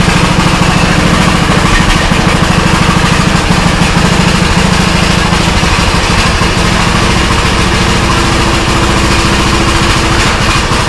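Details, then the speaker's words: Old custom-built Troy-Bilt riding mower, no smoke: loud, steady thumping idle with a slight lope, even firing, no knocks or misses; owner was told it sounds like it has a cam; engine runs healthy. "Told that it sounds like that this ride lawnmower has a cam on it."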